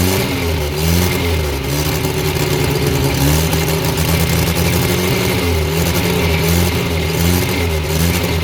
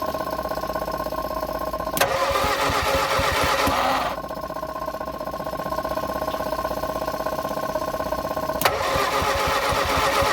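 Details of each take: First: Abandoned blue Morris Minor, after fixing a fuel leak, wire throttle pull and jump leads: engine fires steadily and picks up cleanly on repeated throttle blips with no misses or knocks; got it going, runs well. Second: Abandoned Morris Minor, first revival attempt after running a temporary power wire to the coil for the electronic ignition; steady starter cranking at about four compression beats a second, never catches: cranking, no start.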